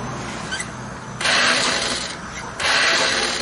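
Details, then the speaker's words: Honda Scoopy that won't start: two bursts of thin, high whirring with no cranking rhythm, the starter motor spinning freely without engaging the starter gear; left crankcase cover removed next to inspect. "motor starter berputar, tapi mesin tidak mau menyala karena tidak terhubung dengan roda gigi starter."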